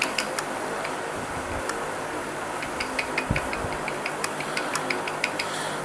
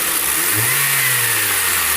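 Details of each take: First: Honda Civic 9th generation engine running, noise reported when the AC is switched on: sharp, uneven light clicks from a rattling accessory belt tensioner, a poor-quality part replaced less than a month before. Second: Honda Civic 2013 engine revving up and settling back after the accessory-belt rattle (heard with A/C on) was fixed by replacing the whole tensioner assembly; runs clean with no belt squeal or chirp.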